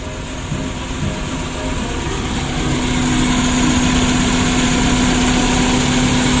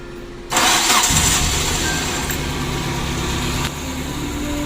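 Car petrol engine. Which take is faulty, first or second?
first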